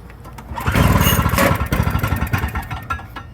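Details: Salvaged Toro snowblower, small engine started on choke after parts were reinstalled. Rapid popping as it catches, runs briefly with uneven firing, then fades; it starts and runs.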